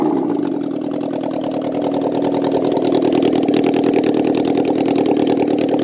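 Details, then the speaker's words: Honda N600 with motorcycle engine, sat 30 years, tank and carb pilots cleaned, choke on: loud uneven lumpy stumbling idle, only idling on two cylinders; owner suspects rich mixture, carburettors need adjusting. "she runs she's loud and it's a little rough I think the mixture needs to be adjusted all the carburetors"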